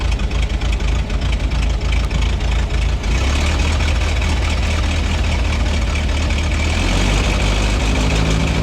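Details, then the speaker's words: 1926 Ford Model T touring, crank-started with spark advanced: uneven, stumbling beat with skipped pulses at slow idle; one spark plug not firing properly and needing replacement, causing misfire. "okay before we drive keep in mind this is going to run rough because there's one spark bow that's not firing as it should because it needs to be replaced"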